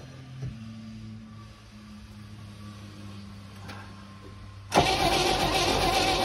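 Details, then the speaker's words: 1971 International truck, timing set at top dead center, slipping belt: steady slow cranking with one brief catch but no start; weak compression suspected. "yep nope no go so I tried the 24 volts a couple more times and it didn't work"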